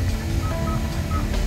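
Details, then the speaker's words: Hyundai Tucson climate control panel after battery was disconnected and reconnected: short high-pitched beeps, about three in under two seconds, over low cabin hum; panel stuck on HI at 27°C, buttons unresponsive, AC malfunction. "삐삐 소리 나죠 지금은 오퍼 될 수 있어 안 되네 오이 오퍼도 꺼지지도 않아요"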